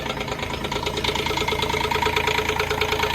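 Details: DX10 digger: even diesel clatter at a steady idle of about two beats a second, no misses or heavy knocks, running normally.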